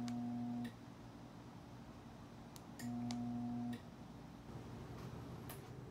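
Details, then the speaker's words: Genie Pro garage door opener motor gives two short steady mains-frequency hums when the remote is pressed, door stuck open and motor not turning; hums but won't start. "Đây là mô-tơ Genie Pro , và đây là những gì xảy ra Nếu tôi nhấn nút (trên điều khiển từ xa của cửa nhà để xe), bạn sẽ chỉ nghe thấy âm thanh vo ve .."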